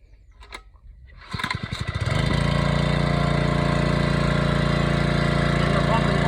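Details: Small gas-engine water pump, oil checked on the dipstick and fueled, started with the hose to the cottage attached: catches after a few pulls and settles into a steady, even putter with no misses or knocks while pumping water.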